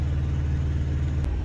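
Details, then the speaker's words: Thermo King truck APU after replacing the faulty controller knob that caused shutdowns and a yellow triangle fault: steady low diesel drone with an even beat and no cutting out. Still running after 20 minutes, fault gone and blowing cold. "so it's been 20 minutes the Apu is still working fine it doesn't do the fault anymore everything's working properly still blowing cold there"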